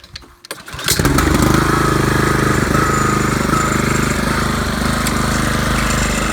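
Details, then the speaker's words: Craftsman 536.773500 weed trimmer with a swapped-in Honda engine from a pressure washer, carb not yet cleaned, spark plug unchecked: buzzy, slightly uneven idle with wavering beat; rough running, about 80%, owner suspects carb or plug. "And uh this one might need a new spark plug as well. I haven't checked that just yet. But what I'm happy with is that it does function. Be that at about 80%."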